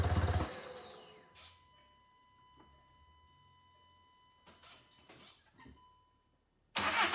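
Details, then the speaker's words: 2014 VW CJAA TDI, tuned, cranks but won't start with no codes: catches briefly, sputters and dies as the clutch is let out, then cranks again; stalling. "So at least it's thinking of starting, but as soon as you let the clutch out, it stalls"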